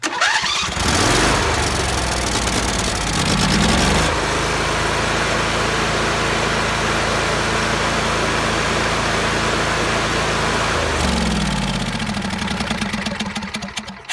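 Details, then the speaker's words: John Deere mower engine after new spark plugs and cleaned coils and magnets, cooling shroud off: catches after short crank, still needs choke, then settles into an even steady run with no more popping or misfire; problem resolved. "but there's no more popping and that was what we wanted so we got that resolved"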